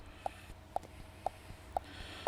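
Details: 2011 Vauxhall/Opel Insignia 2.0 diesel with overboost/underboost codes P0234/P0299, microphone next to the cycled boost control solenoid: crisp, even clicks about twice a second with nothing else behind them. Solenoid switching normally.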